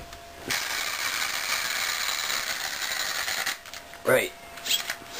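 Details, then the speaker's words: Savage Flux electric RC truck, body off: harsh, gritty high-pitched grinding whir between spur gear and pinion, only with the motor meshed against the spur; mesh seems proper and turns smoothly, cause unknown. "it should be meshed properly because it goes smoothly it just makes that grinding noise"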